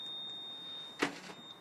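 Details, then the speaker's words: 2007 Renault Clio 1.6 paddle-shift that won't start: after locking the door a thin steady high-pitched whir runs about 30 seconds with a soft clunk partway; some motor stays powered after locking, cause unknown. "let's try locking so it starts this noise now it's a new thing when you lock the door it goes there for about 30 seconds"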